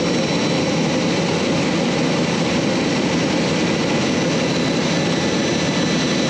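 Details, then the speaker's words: J79 jet engines on a successful ground run after refuelling and fixing leaks, to verify the leak repairs; steady, even roar with a constant high whistle, no surging or pulsing. Normal, healthy jet engine idle. "All right everybody, that was a successful engine run."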